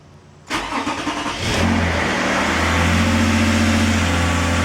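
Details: 2011 Toyota RAV4 after transmission pull and rebuild, checking for the earlier heavy trans whine: engine catches and settles into a smooth, even idle with no whine; transmission perfectly quiet.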